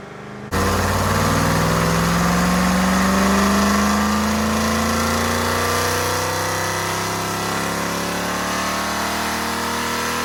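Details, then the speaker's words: Restored Rover P6 3500 V8 on a Superflow dyno, warmed up with timing adjusted, snaps to full throttle and climbs smoothly to a preset 5100 rpm then settles; strong clean pull with no misfires; first pull made 168 bhp at 4900 rpm and 202 lb-ft. "The dyno will stabilise the engine revs I press the auto test button, the dyno will release the brake, let the engine rev to preset RPM, which in this case is 5100 RPM, and it will then slow the engine down again, release the throttle, turn it off, and we will have a test run."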